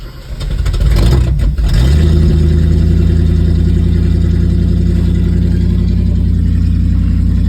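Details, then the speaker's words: 1971 Comet, first start after a carburetor rebuild with a new accelerator pump, done to cure hard warm starts the owner suspects came from flooding: brief crank, clean catch, then a steady, even low idle with no misses. "I haven't tried to fire it since I rebuilt it, so let's see how it does."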